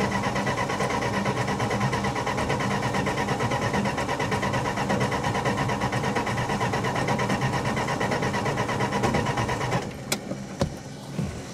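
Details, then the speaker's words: 1966 Plymouth Fury with new electronic ignition, coil wired directly to the battery: cranking about three beats a second for ten seconds without catching on a dying battery. Crank no start, no spark. "i'm done man something's very wrong here i'm running out of options the battery's going dead it's getting late we still have no spark"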